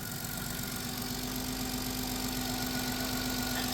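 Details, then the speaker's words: 2000 Chrysler Grand Voyager, 114,000 miles, first start after sitting 8 years with belt cut and alternator seized: fires right up into a smooth, quiet, even idle with no top-end ticking; engine sounds healthy. "And it's so quiet. It's so quiet because nothing's spinning. It just fired right up."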